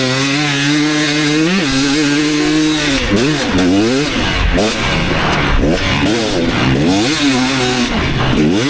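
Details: 2019 KTM 250SX two-stroke, Lectron Billetron 38 Pro carb, on track: light rattly metallic edge on pulls under heavy load at about quarter throttle; detonation the owner attributes to a lean torque jet.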